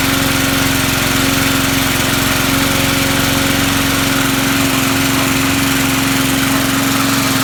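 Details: Vintage Sears/Montgomery Ward push mower, restarted after being shut off, owner mentions two-cycle 50:1 mix: steady, even drone at constant pitch, no misses or knocks; normal running.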